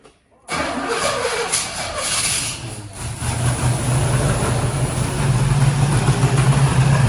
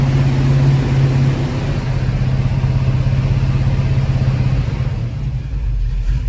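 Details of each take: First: 1974 Pontiac GTO 455 V8 after carburetor rebuild: catches after brief crank, then uneven lumpy idle rising slightly; keeps running only with choke held open. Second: 1974 Pontiac GTO with Pontiac 455 V8 and freshly rebuilt carburetor, first running after sitting: deep, steady V8 burble at idle with an even low rumble, no knocks or misses; running normally.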